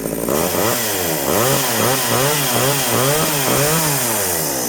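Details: Homelite 240 chainsaw, left sitting with ethanol gas, carb kit just installed: speed hunts up and down about twice a second, never settling; rebuilt carburetor not yet tuned.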